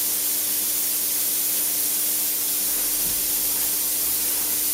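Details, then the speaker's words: Pierro Silver 3 Group espresso machine under load, one steam arm and one group running continuously, 30-40 seconds in: strong steady hiss with no sputter or fade; gauge holds at 0.9 bar, steam pressure stable. "So here you are running a steam arm permanently, a free pour permanently, and you cannot deplete the pressure of the steam."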